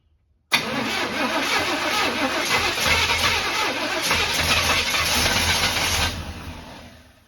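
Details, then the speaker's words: Abandoned barn-find square-body Chevy truck, priming fuel through the fuel pump: cranks hard with ragged, uneven firing for seconds, tries to catch but never runs alone; owner suspects timing is off, possibly a leaking hose too. "well it's trying to [Music] huh I think it's because the timing's off"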